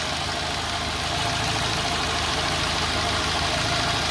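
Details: Petrol engine with uneven, wavering idle despite adjusted valves, new spark plugs and even compression: a loose, uneven, wandering beat. The throttle body and idle stepper are to be checked next.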